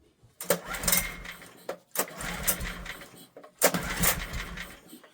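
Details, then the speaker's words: Old Honda generator stored 20 years, barn find, air filter missing, choke on; three pull-starts, each brief rough churn never catching, engine trying but not firing. "Do you know, I think she's trying."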